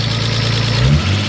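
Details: Nissan R32 Skyline RB20 straight-six first start after install, one charge pipe and air temp sensor missing: steady low even idle, smooth rhythm, no knocks or misses; running good apart from noisy injectors.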